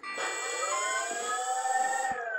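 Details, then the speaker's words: ArduPlane quadplane VTOL lift motor A (front right) bench-tested at default 5% throttle for two seconds: thin high-pitched whine held steady then stopping cleanly, correct direction, no grit; normal motor spin. "okay so that it worked on the default settings so it started at five percent and it lasted for two seconds so i know that went the right direction"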